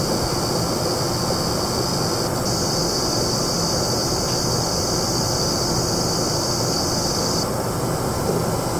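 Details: Vapor-X R9 290 graphics card: thin steady high whine over fan rush only under load (benchmark, Counter-Strike), louder with higher frame rates, stops when paused; owner suspects coil whine.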